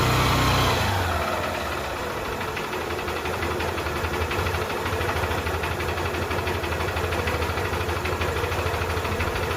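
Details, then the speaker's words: Bike engine after repair of a cylinder bore that failed by 16,000 km, with silencer cleaned and everything reassembled: steady, even idle of about three pulses a second, no knock or rattle; now running very smooth, normal idle. "Sound బండి అంటే చాలా అంటే చాలా smooth అయిపోయింది."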